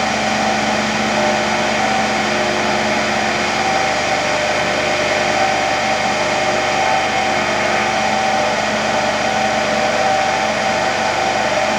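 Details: Motor-generator (AC–DC) trainer set, AC motor going from star to delta, DC shunt generator giving residual voltage with field winding not yet connected: steady even hum, constant whirring tone, no knocks or grinding.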